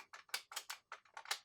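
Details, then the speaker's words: Early-1990s DEC VT520 terminal after freeing a jammed power button that had broken a PCB corner: crisp, sharp clicks in quick succession, about nine in under two seconds, in a quiet room; the power switch now works normally. "That's how that is supposed to sound and work. I'm really hoping that's the only problem with this thing."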